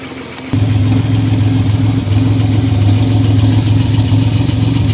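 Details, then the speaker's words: 1985 Chevrolet S10, 2.8 two-barrel carbureted V6, 2WD automatic, almost 60 psi oil pressure; fires up and idles with a persistent rough knock about three to four per second over the rumble. Engine knocking, source undetermined. "It does have an engine noise. I'm not sure what it is yet. I haven't checked it out."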